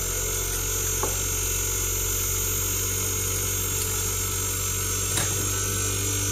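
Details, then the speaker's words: Whirlpool inverter AC outdoor unit, compressor running with temperature set to 20, outdoor relay on: steady low hum with no knocks, rattles or surging; compressor runs smoothly. "So అవుట్డోర్లో relay కూడా on అయింది. అలాగే దీని యొక్క compressor కూడా on అయిపోయింది."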